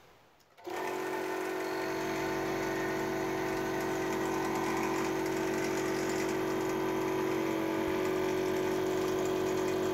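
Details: Air compressor just fitted with a hand-made replacement head gasket after the old one blew through: the motor kicks on and settles into a steady, even hum and pump beat with no hiss or knocking. It runs normally and builds pressure.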